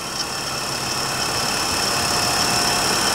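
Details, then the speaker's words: GMN MPS-1 vertical-spindle swing-arm surface grinder, 3,400 rpm spindle with a 3/4 HP motor, after a bearing replacement: a steady, even high whir with a faint belt hum and no grinding; spindle healthy. "like I said we replaced the bearing motor the spindle sounds great and that's the machine"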